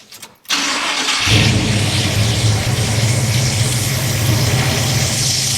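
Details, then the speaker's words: Big-block Chevy in a Pontiac, restarted after removing the belt to test a grinding alternator: cranks, catches and settles into smooth even idle with the grinding gone, pointing to the alternator, which is then replaced. "noise is gone."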